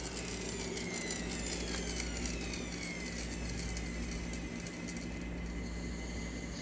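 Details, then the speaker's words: Kenmore PowerPath vacuum bought used, needing a new belt and brush roll work: steady whirring hum with a faint high whine slowly sagging in pitch as the motor coasts far too long after switch-off. "You can hear that long motor wind down, which isn't great."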